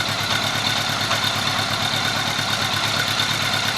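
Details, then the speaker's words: 1983 Honda Gold Wing 1100 flat-four with freshly rebuilt carburetors, throttle cables unconnected, voltmeter on the battery for a charging-system fault. It starts and settles into a steady, even idle with no knocks, misses or surging. "nice to have this little girl running young starter never saps again once in a while runs good"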